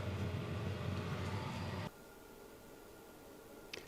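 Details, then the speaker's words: Chinese diesel heater in greenhouse just started, fan picking up speed, still cold air: low steady combustion rumble pulsing about four times a second at ignition, then quieter; burning evenly, no exhaust smoke, normal running. "just started fans picking up speed still cold air coming out right now and if you can hear that that's ignition"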